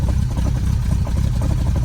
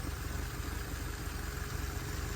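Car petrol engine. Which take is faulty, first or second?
first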